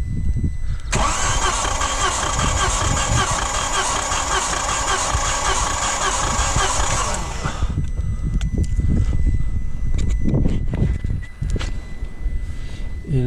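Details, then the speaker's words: 3-cylinder EB engine (owner had excessive oil consumption, ring job planned) during compression test: even, steady cranking about seven seconds with no uneven beats; compressions balanced, about 7.5–8.5, within manufacturer spec. "bon donc là voilà on a vu que les compressions était à peu près équilibrés ils sont dans les normes du constructeur"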